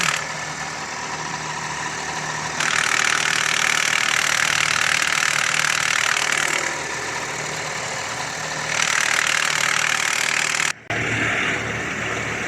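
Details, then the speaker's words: Car with a noise when the clutch pedal is pressed that disappears on release; hissy metallic rattle over idle, then plain idle; gearbox oil showed no metal filings; damaged dual-mass flywheel. "En esta ocasión tenemos un vehículo que, como logramos observar en el video, sale un ruido al pisar el clutch y desaparece al soltar el clutch."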